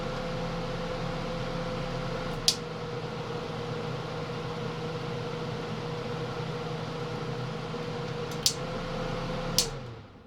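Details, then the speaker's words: 1981(?) Kenmore 48-pint dehumidifier on its rare constant-fan mode: steady even fan whir over a low hum, a couple of light clicks, then a smooth spin-down; normal fan operation. "It's constant fan. Now this is a pretty rare one, so that's why I got this. So I turned it all the way down. I'll see how constant fan is. Cool."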